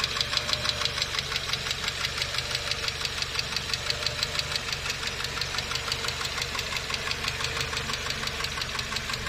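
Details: Light, quick ticking at about three per second over a steady idle: noisy hydraulic lifters tapping in the valvetrain, treated with a hydraulic lifter additive.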